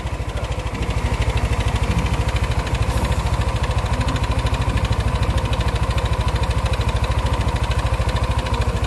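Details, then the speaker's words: Yamaha NMAX scooter at idle, piston and connecting rod already replaced: rough steady knocking clatter like a scratched piston on every pulse; mechanic suspects the magnet, and the flywheel magnet rotor is found loose. "ini kalau saya curiga sih magnet ya"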